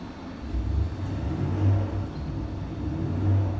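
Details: Junkyard 5.7L Hemi on the dyno (Comp stage 4 cam, increased ring gap, 80 lb injectors), with an S475 turbo and long-tube headers on a base tune at about 5.3 psi: a deep, even V8 roar under load, healthy, making roughly 600 hp.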